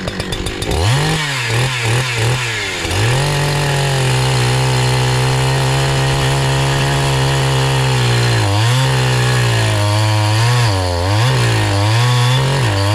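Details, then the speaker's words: Brand new NEO-TEC NH872 71cc chainsaw (Husqvarna 372 XP clone), 28 in bar, first firewood cut on big log: revs high then pitch sags and wavers each bite, bogging, very slow; owner suspects top-end carburetor adjustment needs tuning. "all right that was my first cut and that frankly sucked you know that was really slow I don't think the top end uh throttle adjustment um I think it needs adjusting"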